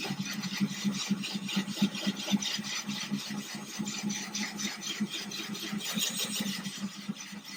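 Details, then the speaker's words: Ryobi drill with a diamond core bit drilling a thin-glass 10-gallon aquarium, kept wet and cold, slow and easy: soft uneven rasping over a steady drill whir as the bit works through wet glass. Normal drilling. "I'm going to go back in here again, get started, go nice and easy. Just keep it nice and cold."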